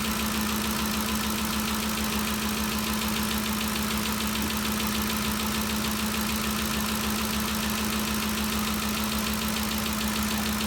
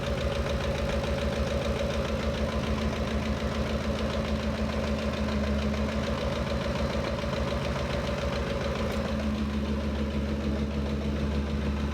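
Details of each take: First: 2013 Ford Expedition after valvetrain repair for a loud ticking noise (cam phaser or timing chain suspected): steady, even idle with a smooth low hum. The ticking is gone and the fault appears fixed. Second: 2013 Ford Expedition V8 idling with a fast, loose chattering tick from the valvetrain; first thought left side, stethoscope placed it on the right, where a rocker arm had fallen apart and damaged the camshaft.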